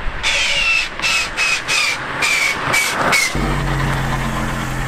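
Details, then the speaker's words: Manual car after shifting into reverse at 100 km/h: about half a dozen harsh grinding bursts, then a steady idle; reverse now won't engage, which the owner suspects is due to burrs on the reverse gears. "I can't get it into reverse while driving anymore This seems an issue which solves itself So if you're so stupid to shift into reverse while driving.. it won't shift into reverse at all in the end I think that has to do with some burrs on my reverse gears"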